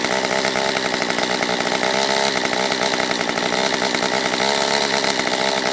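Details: Stihl MS194T chainsaw after fuel-issue no-start fix, carb richened on low and high within limiters: high-pitched steady buzz at even speed, no bogging or surging, warmed up; normal running.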